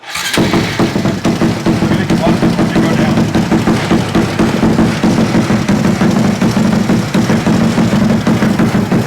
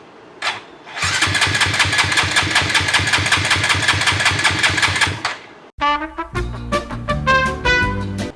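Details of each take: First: Modified bike with Koso 170 cc big bore kit, Competition Werkes GP full exhaust and aRacer ECU, refired after a top-off during first start: fires at once and settles into a quick, even single-cylinder idle with no misses or knocks; runs healthy. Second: Engine with freshly installed Koso 170cc big bore kit, aRacer ECU, full exhaust, first start attempt after priming five times with a featherweight battery: starter spins steadily with quick even compression beats about four seconds; never catches, cranks no start.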